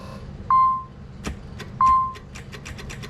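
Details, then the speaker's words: Nissan 300ZX Z32 with the gauge cluster removed: key-on chime beeps, then one sharp click and no cranking; no-crank fault in the starting circuit, with the starter or battery suspected. "So first, let me get in here so I can show you guys that it just cranks. I mean, that it doesn't crank, that it just clicks."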